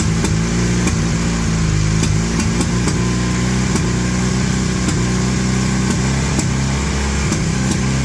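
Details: 1981 Honda CM400 twin, first start after sitting since 2000, carbs refilling: uneven, lumpy running with irregular pops and a hunting idle. Rough running.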